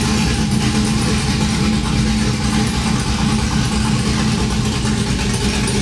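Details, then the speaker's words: Cammed 5.3 V8 Chevrolet Silverado after long tube header, x-pipe, plug and wire install, open headers without exhaust: loud deep choppy rumble with uneven loping beat and raw exhaust; normal cammed idle. "that sounds great so loudly yeah that's crazy"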